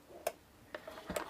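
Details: Non-digital portable ceramic heater (750/1500 W, high/low fan) being tipped: three or four light, sharp clicks in under two seconds; rollover safety switch working normally.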